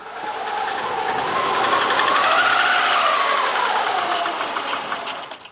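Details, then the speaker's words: 2002 Subaru WRX with 214K highway miles, low compression and alternating misfire codes on cylinders 1-3, running warm. It runs rough with a steady hollow knock of about three to four a second, then falters. Owner suspects piston slap. "Okay, so it does that after it warms up, obviously, a little bit, it gets a little warm. But piston slap, you can hear it."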